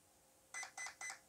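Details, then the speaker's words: WLToys 144001 RC car ESC programmed without a program card by holding the reset button: three short, evenly spaced high beeps counting to program item three, low-voltage cutoff, where the button is released. "three beeps so then i let go of the button then once you let go of the button it will start beeping and telling you what the current setting is"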